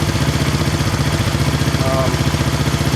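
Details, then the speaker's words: 1970 Honda SL350 twin after air leak and timing work: fast low thump idle, about three beats a second, slightly lumpy; right cylinder smoked earlier, clutch not adjusted right. Uneven idle. "okay it's actually running not too bad not perfect but the probably has been running you can hear"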